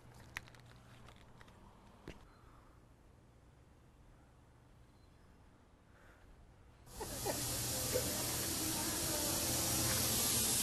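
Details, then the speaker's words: Truck air brake system checked with an ultrasonic leak detector: quiet background, then a sudden loud steady hiss of compressed air escaping from a bad brake air chamber. "here it is a bad air chamber phew what a relief that only took a few minutes to do the whole system"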